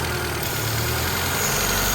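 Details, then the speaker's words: Honda CRX with idle surge, incorrect PCV valve installed: steady idle around 1300 rpm under a loud, even hiss as the valve pulls too much vacuum. The correct PCV valve is quieter and lowers rpm, and it fixed the surge. "Pretty loud. Sounds like it's pulling a lot of vacuum up the 1300."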